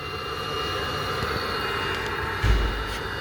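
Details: Webasto parking heater on an Audi A8 after a sensor fix: steady blower and combustion roar at full throttle with one brief bump. The heater is working normally and the car warms up.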